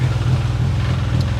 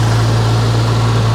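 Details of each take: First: 1993 Geo Tracker at idle with an exhaust leak at the exhaust pipe under the car: a steady, low idle rumble with a soft, uneven puffing chuff underneath. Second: 1993 Geo Tracker after fuel injector rebuild, timing not yet set: steady even idle without knocks or misses, sounds much better but sits a little high; a weird sound suspected from the alternator.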